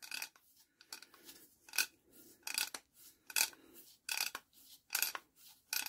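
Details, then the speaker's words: Barford Atom roller axle ratchet hub, found bone dry with no grease and soaked with WD-40 penetrant: crisp, even ratchet clicks about once a second as the hub turns, now engaging every time. "listen listen hear that it's working every time now"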